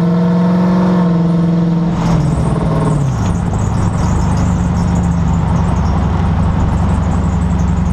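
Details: 2011 Dodge Charger, camera on left rear suspension facing differential: steady low whine over road drone, sliding lower with speed; began only around 60 mph, now after 5000+ miles at all speeds, even randomly at idle cold or warm; rear-end whine.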